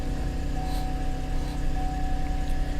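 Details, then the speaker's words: Salvage car at auction, listed as a no-start, oil pressure reading 70: starts and holds a steady, even idle with a faint constant whine and no knocks or misses; normal idle. "looks like everything is lit up everything comes to life it starts right"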